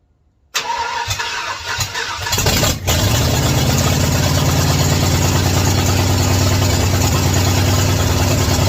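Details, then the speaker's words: 1967 Ford F100 truck starting and running for the first time after extensive electrical rewiring and ignition timing adjustments: cranks briefly, catches, and settles into a steady, even idle with a smooth low rumble, no knocks or misses. "wow first time that's crazy finally got it all right y'all so that's super exciting finally for the first time hearing this truck run"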